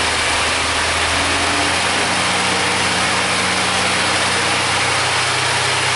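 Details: 1999 Suzuki Grand Vitara that won't set inspection monitors, after a brief warm-up with a new universal upstream O2 sensor fitted: smooth, steady idle with even firing, picking up cleanly on throttle with no knocks or misses; responsive, normal.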